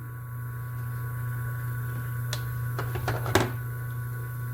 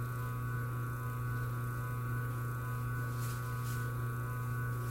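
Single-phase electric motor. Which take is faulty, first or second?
first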